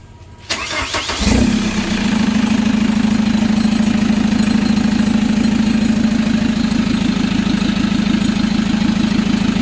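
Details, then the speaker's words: Chevrolet Captiva NFL AWD (latest generation), restarted after cleaning, repair of turbo, CMP, MAP and P089 fuel-pressure faults and an oil change, cooled down: short crank, catches fast, smooth even idle, no misfire, knock or rattle; healthy. "Nah kita biarkan dulu mesinnya nyala."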